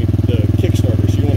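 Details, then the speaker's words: New RFZ20 125cc pit/dirt bike in neutral, kick-started: catches and settles into a crisp even single-cylinder thump around fifteen beats a second; healthy normal idle. "so as soon as you push it down you start to hear that thing kick just bring it right yeah you got it that sounds awesome you're ready to roll"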